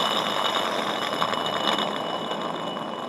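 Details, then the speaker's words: 2011 Honda CR-V AC compressor removed and on the floor, pulley spun by hand: gritty rasping whir with faint ringing, pulley has play; worn compressor pulley bearing causing the noise. "No doubt in my mind that that's the noise. You can actually have a little bit of play in the pulley here as well. That's why it would change pitch when the compressor would turn on, because this bearing in here was no good, and it would lock up and it would give you that noise."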